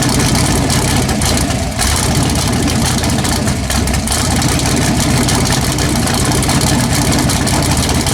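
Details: LS-swapped Chevy S10 V8, first start after a long no-start (it would only run bottle-fed), float levels needing adjustment and fuel pressure reading only 2 psi, now idles deep and steady with an even beat, no knocks, misses or ticking.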